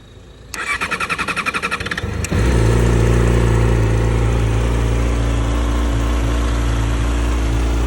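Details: 2020 R6: starter cranks, engine catches and settles into a steady idle with a faint light tick riding over it; ticking noise, source unknown.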